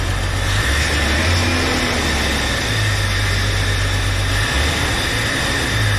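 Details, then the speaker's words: 1999 Jeep Cherokee, junkyard 4.0L inline six just installed, first start: smooth, even, steady idle with a low hum, no ticking, knocking or stumbling, no check engine lights; normal idle. "sometimes all the stress the aggravation's worth it sounds like it's running pretty smooth they don't have any check engine lights on"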